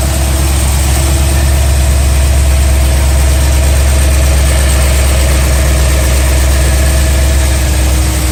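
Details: BMW E92 M3 S65 V8, 65,600 miles, oil changed 300 miles ago, at idle: deep steady V8 idle with a light, quick, slightly uneven tick; ticking developed cold and is quieter but still present when warm, cause unknown.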